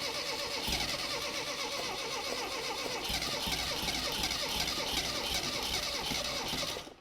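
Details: 1975 Mini Clubman estate with an engine stored 12 years, points doubtful, petrol poured in: uneven cranking catches into a few ragged firing bursts, then dies; it won't keep running, possibly fuel-starved. Cause suspected, not confirmed.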